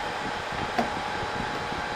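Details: Multiaqua air handler on a server room service call: even airy rush from the blower with one light click, steady and smooth; unit already cooling, running normally.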